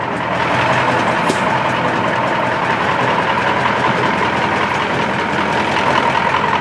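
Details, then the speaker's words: American 2380 20-ton military crane diesel running great with hydraulics, crane and front/rear steering working; slight coolant leak. Steady, even idle with a constant mid-pitched hum and no knocks or misses; normal. "the Beast is running great clouds going up and down the rear steers work and the front stairs working"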